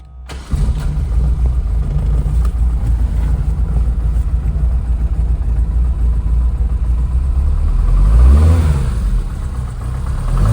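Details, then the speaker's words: 1977 Ford Escort MK2 RS2000 tribute, rebuilt 2.0L Pinto engine with Ford Type 9 5-speed, catches quickly, then runs deep and even with crisp throttle blips, revving quick and settling steadily while warming up; normal healthy start, rev and idle. "she revs quick. I want to let her warm up before we do anything dirty to her."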